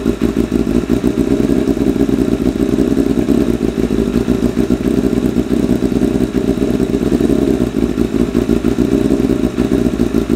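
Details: 1988 Kawasaki ZXR250 road bike, first start of rebuild: lumpy uneven idle with loose clattery exhaust beat and irregular pops; running ridiculously rich, idle mixture screws 3.5 turns out, shot flames.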